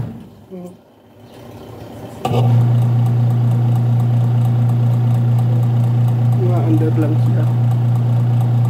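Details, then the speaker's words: Washing machine, timer on: wash motor underneath starts into a steady low hum with no agitator rhythm; the motor pulley slips on the belt because the pulsator drive is seized and tight, so the pulsator doesn't turn. Lubricating may free it. "Umi-slide yung motor. Yung puli ng motor, umi-slide na sa belt. Umi-slide na yung puli ng motor sa driving, sa belt drive o driver."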